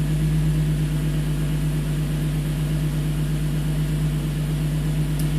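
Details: 2005 Infiniti G35, VQ35DE Rev-Up V6, 6-speed manual: after coil pack replacement for a P0300 random misfire, a smooth, even idle with a steady low hum and no stumbles or misses. Air-fuel ratio reads about 14.6–14.7, so it sounds healthy.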